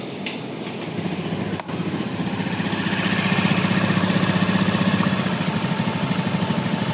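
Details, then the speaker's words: Honda Beat FI scooter after engine teardown and repair of worn connecting-rod bearing and rod/piston pin, which caused a rough crunching, sewing-machine-like noise even with the CVT already rebuilt; now an even, steady idle with no rattle or knocking. "ya sudah halus, sudah normal ya seperti ee baru lagi ya karena dalamannya ee sudah diperbaiki ya."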